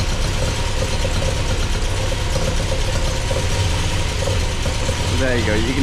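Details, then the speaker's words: MGB with Weber 45DCOE carburettor, just rebuilt with new primary and main jets and float height set, idling cold after start-up: slightly lumpy, uneven low beat with no knocks; owner thinks it sounds a bit rich but sees no exhaust smoke; cause unconfirmed. "To me it sounds a bit rich, but there's no smoke coming out the back."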